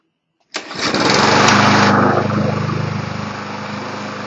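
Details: Push mower that previously would only start on starting fluid and has no choke. It now fires on the first pull and settles into a quick, steady, even beat with no misses, running properly.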